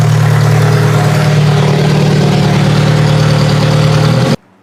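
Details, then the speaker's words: Toyota Solara demolition derby car after electrical checks: a strong, steady engine note with even firing and no knocks or misses, then a clean shut-off. It runs really well. "This car sounds like it's running really, really good. I'm pretty happy with that."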